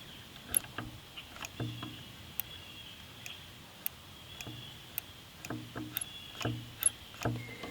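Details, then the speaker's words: Wood-Mizer sawmill hydraulic control levers: moving each lever trips a micro switch with a small sharp click, roughly one a second; switches clicking normally. "When we move the levers on the side, you will see that this micro switch makes a little click and activates."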